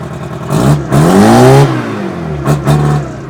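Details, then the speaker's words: Old Ruston-Bucyrus/Bucyrus-Erie Dynahoe 190 backhoe saved from scrap, two-stroke Detroit diesel after a perished, leaking part was replaced: deep idle rising in pitch through two throttle blips and dropping back cleanly; normal running. "you guys can hear it once more. Hear that sweet sound of that 2-stroke Detroit."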